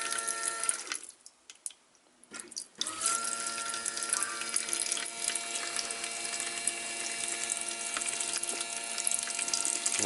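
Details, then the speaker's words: Kawasaki GTR1400 fuel pump on bench test, bike stored about a year after misfiring: shrill, rough electric whir with sputtering watery hiss as it pumps water with rust instead of petrol; pump straining, stopped to avoid burning out motor. "But it's just water. That sounds like the pump's going crazy. So, I'll just stop it. I don't want to burn out the motor."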